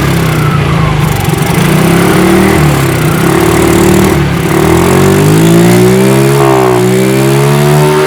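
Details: Fuel-injected motorcycle that would not idle or rev, after cleaning the throttle body sensor with carb cleaner: engine note climbs smoothly and freely under throttle with no bogging or hesitation; normal revving.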